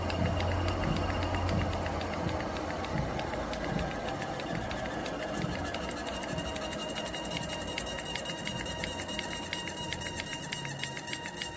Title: Urevo SP1 lite walking treadmill motor squeaking noise